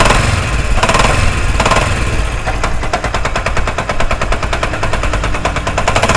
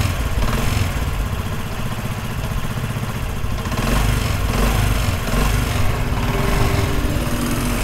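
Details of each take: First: Idling single-cylinder motorcycle engine with fast, heavy metallic clatter; a mechanic blamed the connecting rod and wanted a full engine opening, but it sounds like a rattling loose clutch hub nut. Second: Motorcycle engine after repair, parts washed and refitted: steady, even low engine note with no knocking or rattling; running smoothly and quietly, normal.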